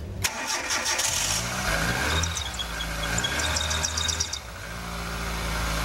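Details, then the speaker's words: Car engine cranks and catches, then a high chirping squeal rides over the idle for a few seconds: serpentine (fan) belt squeal. "that sounds like serpentine bills actually its usual Jamaicans call it the fan belt because first time it used to use the drive the fan"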